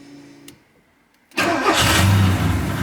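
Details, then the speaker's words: Porsche 928 V8 on its first start and drive since being towed home after a yanked wire; short crank, catches at once and settles into a steady, even burble, a clean, easy start. "nice easy start I just let it sort of get in the groove"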